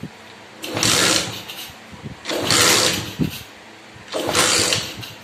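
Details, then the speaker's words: Honda C50 GLX moped kicked three times with the ignition switch (lock) bypassed: each attempt nearly catches then dies, so spark is present but it won't start; ignition lock ruled out as the cause. "ρεύμα στέλνει, φαίνεται γιατί πάει να σκάσει, αλλά δεν παίρνει πάλι."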